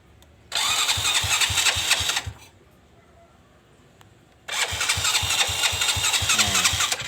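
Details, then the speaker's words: Motorcycle with new battery and working starter, which engages, starts easily by kick but not by electric start: two bursts of starter cranking with even compression pulses about four a second, engine never catches. "ya kasusnya seperti ini teman-teman sulit untuk nyala sedangkan aki baru"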